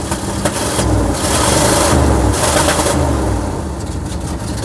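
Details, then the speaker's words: 1979 Cadillac Seville fuel injection, first start after replacing external and in-tank fuel pumps: uneven surging idle with puffing exhaust chuff; running rough and an exhaust blow, cause not yet checked. "Seems to have a bit of an exhaust blow, so we'll have to check what's wrong with that. And also it's not running well, but at least it's started up now."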